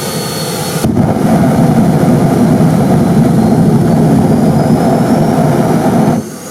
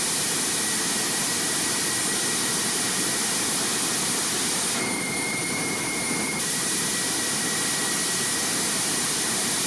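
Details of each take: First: Kerosene turbine jet motorcycle with a new afterburner injector; loud steady jet roar with a rough low rumble and pulsing, over-fuelled because the injector pressure was too high until the regulator valve was nearly closed. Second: Homemade jet motorcycle turbine, tested in the garage after afterburner redesign: steady hissing jet roar with a constant high whistle, no flameouts or surging; stable afterburner that doesn't blow out at any speed and ignites in all turbine modes.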